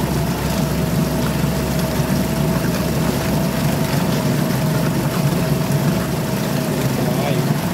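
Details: Suzuki DF2.5 2.5 HP outboard in water test after no-start repair, fuel valve and tank vent open: steady buzzing run with constant light tone, no surging or dying; normal running.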